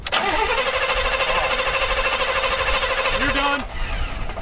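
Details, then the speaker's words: Engine at Hot Rod Power Tour, roadside cranking with fuel line disconnected into bottle to test delivery: steady cranking drone, never catches; no fuel arriving, pump not pumping, suspected failed fuel pump. "So if I sucked on it and made myself the fuel pump, then I would know if fuel is there and if the fuel pump's just not doing its job. So So the pump's not pumping. Pump's not pumping."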